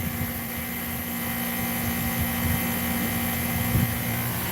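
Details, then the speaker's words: Modified Goodman condenser, fan blade hand-bent, fan on high speed with refrigerant pressure down to 180; smooth, even whoosh with no rattle, possibly moving more air than the OEM fan. Normal fan running. "Might even be moving a little more air than the OEM fan did. Listen how quiet that fan is. And it's smooth."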